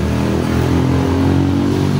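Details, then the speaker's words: Honda XR200 motorcycle at steady single-cylinder idle with a hollow, echoing clutch-side rattle (kalampag), common on XR200/TMX155; the rattling part is to be replaced later, with the clutch lining replaced first and the clutch boss and pressure plate checked. "So bali ito yung kadalasan issue sa mga XR200, TMX 155. Ayan, kapag makakalampag, meron siyang lingaw-ngaw."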